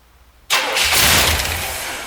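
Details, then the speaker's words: 1973 Corvette bought on eBay, after the rotor was found well off and the distributor re-dropped to correct ignition timing: a short crank, then it catches hard and settles into a strong, steady run. Engine starts and runs. "Woo! Look at that. That's what timing will do."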